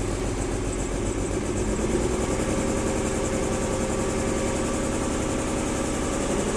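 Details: 1994 BMW 325i rough idle after a cold start at 9am, about 45°F, with an uneven lumpy beat. It is worse in drive, with rough acceleration that eases at higher speeds. Owner will check vacuum lines, spark plugs and coil packs.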